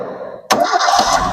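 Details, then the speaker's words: Old Toyota Kijang Kotak body super, warm, restarted without throttle after shutdown: a quiet moment, then it catches at once and settles into an even run; smooth engine, carburettor normal, a healthy start. "mesin halus lur. Yes, monggo. Kalau sama minat karbu normal, mesin insya Allah masih normal, layak pakai lah."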